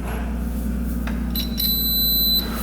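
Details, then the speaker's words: 1960s Ducati Brio 100 scooter that sat over 30 years, with no spark. A multimeter in continuity mode, probed from a wire to the frame, gives a steady high beep about a second long. Good ground to the engine. "right we're getting ground [Music] near beep so we have a good ground to the engine"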